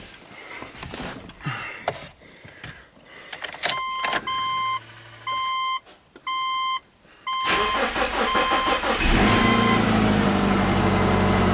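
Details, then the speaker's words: 2008 Subaru Legacy 2.5 SOHC, junkyard replacement engine, car at 164,000 miles: after repairing a compression leak from unsealed exhaust valves that caused a cylinder 4 misfire, chimes, then it cranks, catches cleanly and settles into a smooth, steady idle. Healthy start and idle. "all right running perfectly smooth it's not a Volvo but we'll see how it accelerates"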